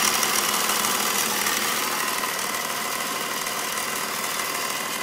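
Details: BMW Z4 with M54 engine, ticking just started: steady idle with a light, fast tick high over the engine, about three per second; top-end tick, source not pinned down.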